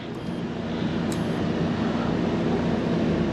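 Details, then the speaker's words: 2014 Winnebago Minnie Winnie 331K Class C RV generator running the air conditioner and microwave: low steady engine drone pulling down slightly as load comes on; normal lugging under load. "I hear that generator lugging down because I'm running the air and the microwave, so we're good there."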